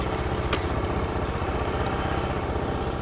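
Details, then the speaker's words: Fuel-injected scooter that was previously totally dead, just restarted after repair: fast, even idle about four beats a second with no misses; healthy idle. "Bro mesinnya udah hidup titip ya nasib rap coba"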